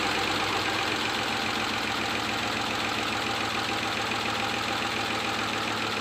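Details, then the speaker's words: Ford 5.4L 3-valve engine with known scored bearings, before oil pump kit and VCT solenoid repair; fast busy metallic clatter over idle about 3.5 per second; engine clatter from low oil pressure. "Our first project is this has got the clattering 5.4 issues."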